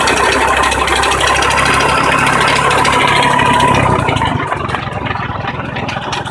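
Idling engine with a rough, rattly knock-grind running through it, about three or four beats a second. Cause suspected, not confirmed.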